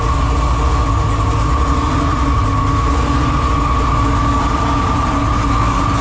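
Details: Car engine started with the battery tender connected: it runs steady with a constant high chirping squeal over the rumble, which the owner attributes to an old belt due for replacement.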